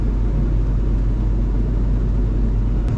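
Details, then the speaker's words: Van with untested used 350 Chevy small-block V8, running in gear, heard from inside: heavy steady low drone, no clear knock or whine, louder inside than outside; rear driveline rumble, carrier bearing suspected, rear end gear oil full; source unconfirmed. "and I'm really sketched out about putting my head under it while it's running to see if I can hear this carrier bearing"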